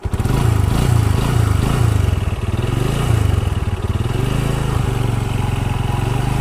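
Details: Bajaj Discover 135 single-cylinder, in a timing chain, valve replacement and tappet adjustment job: even thump at steady idle with a settled beat, no loud tappet tick or chain rattle; normal idle.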